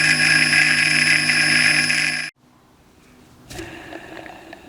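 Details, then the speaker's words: Clarkson Mk1 tool and cutter grinder motor with newly fitted economy bearings: steady high hissing whine with ringing tones over motor note where only a hum should be; noisy bearings, branded Japanese bearings bought to replace them. "You know, I don't like the sound of that very much. To say they're brand new bearings. All we should hear from this is a hum."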